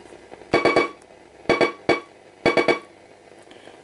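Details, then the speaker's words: Television infrared remote held near an AM radio: buzzy bursts of quick clicks about one burst per second, heard clearly; remote sending properly. "you can actually hear it pretty you can hear it pretty good now this one okay now you can hear it so that's another way to check if it's working"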